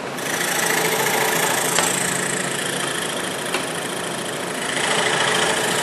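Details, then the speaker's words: Cheap entry-level scroll saw with a No. 5 plain-end blade cutting a wooden Christmas ornament: steady rapid chatter of about three strokes a second as the blade cuts; the saw runs evenly and cuts fine. "but does it get the job done yes it will and I'll prove that here with this cut"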